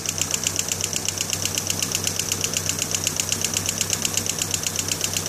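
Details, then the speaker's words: 1991 GMC Sonoma, 2.5L Iron Duke: sharp, light ticks about four per second, evenly spaced over a smooth idle, top-end valve train ticking persisting after a stripped cam gear was replaced and new hydraulic lifters installed. "all right we got my 91 gmc sonoma um iron duke right there as you can hear is that ticking i've replaced all the lifters and whatnot"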